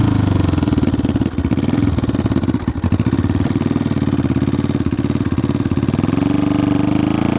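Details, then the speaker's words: 1974 Honda CB500T cafe racer being ridden. Low, lumpy exhaust beat with uneven pulses and occasional stumbles. It runs rough and unsteady; the owner suspects the carbs need a rebuild and sync, but this is unconfirmed. "it runs but it has a hard time staying running and it's a little bit rough"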